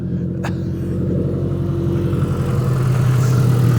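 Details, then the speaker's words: Proton Saga Iswara 1.5, about 151,000 miles, started after long storage with no exhaust fitted: loud, raw, tractor-like rumble pulsing about four times a second, ticking over without surging or misfiring. "it sounds like a tractor why does it sound like a tractor oh there's no exhaust on"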